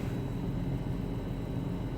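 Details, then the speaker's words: BMW X5 M62TUB44 V8, first start in months after timing chain and guide replacement with chains oiled before closing: quiet, smooth low hum at idle with no chain rattle or ticking; surprisingly silent, healthy. "I did actually sort of put a lot of oil on the chains and everything before you before I closed it to make sure that it's lubricated but that is surprisingly silent"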